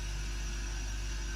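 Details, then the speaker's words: Gaahleri Apex Force ultra silent airbrush compressor, first switch-on, filling completely empty twin tanks (fills to about 116 psi), already at 30 psi: smooth steady low hum, no knocks or rattles; normal quiet running. "and it is already up to 30 psi. That is incredible. That is so quiet."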